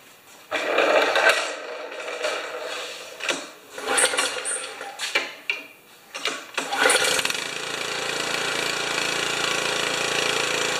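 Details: Honda HS720 snow thrower that sputters and coughs after sitting, after draining fuel from the carburettor: catches and surges in ragged bursts then steadier; owner suspects water in fuel and a clogged carburettor.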